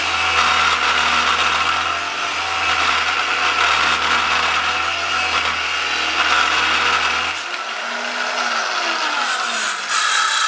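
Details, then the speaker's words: Power saw cutting a bar for a Datsun 521 ball joint plate: a steady low hum with a rough, uneven rumble shifting pitch, attributed to the tool's noisy bearings, which cannot be greased without disassembly. "you can hear those bearings but there really isn't any way to uh get in and uh grease them I could take it apart and do it but sheesh"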